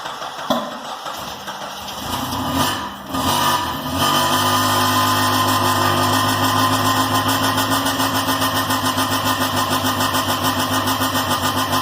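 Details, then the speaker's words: K24-swapped Honda Insight on Speeduino, sequential ignition, cleaned plugs, after valve adjustment: engine catches after a few cranks and settles into a steady, even idle with regular pulse, no misses; tick gone, normal idle. "She runs! She runs! She runs red. So there we go. We got her running again."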